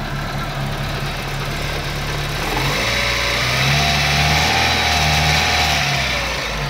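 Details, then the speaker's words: Daewoo Nexia after alternator repair, idling with headlights on high beam as an electrical load: a steady, even hum with no dip. Voltage reads 14.1 V and the alternator is charging well. "өзгеріс жоқ. Генераторымыз жақсы ток беріп тұр."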